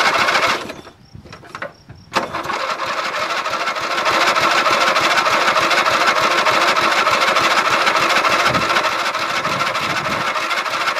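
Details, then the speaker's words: Dynamark lawn mower sat since last fall, little fresh gas, weak battery, carb cleaner sprayed in: short cranking bursts, then fast ragged putter with thin squeal, popping and dying; hard starting, owner suspects carburetor. "I'll give her a goal and give me some it was popping what happened [Music] don't wanna run no more I'm just gonna assume it has spark"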